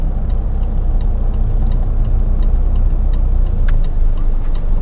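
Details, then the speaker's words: Mitsubishi L200 diesel after turbo rebuild, driving under light load at operating temperature with about 10 psi boost: smooth steady rumble, faint light ticks over road noise, no whistle or rattle; healthy, more torque. "Operating temp's good, 10 psi, boost, sounds good, sounds healthy."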